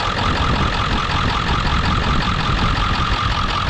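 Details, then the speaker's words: Ford F-550 4x4, 7.3 diesel, 6-speed manual, in neutral at idle: steady, even diesel clatter with no rattles or misses, minimal blowby, oil cap off steaming slightly, nothing from exhaust; sounds like a healthy 7.3. "it's it's it's [Applause] solid it sounds like a healthy 73"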